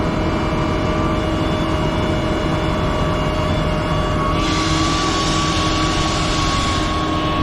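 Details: Pierce Husky 12 foam system on a fire apparatus in pump mode, foam at half a percent with line charged, then CAFS air added: steady pump drone with even tones, then rushing hiss as air feeds in; normal running.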